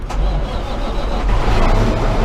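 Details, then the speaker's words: Cummins ISX15 diesel truck dead cold right after oil and fuel filter change, filters not pre-filled: brief crank then clean deep steady rumble, no stumble or knock, good oil pressure. "see coolant temp oil temp it's all down our air is drained ready she's gonna fire right up and no didn't even fill the oil filter or the fuel"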